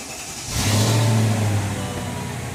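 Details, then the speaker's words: 2002 Mercedes CL500 started after replacing the spark plugs, plug wires and coil packs, having sat two days. A brief crank, then it catches cleanly, flares and settles to an even idle: smooth, no misfire, no rough idle. "all right so far so good wait till she idle down all right i think we got it she sounds smooth no misfire no rough idle"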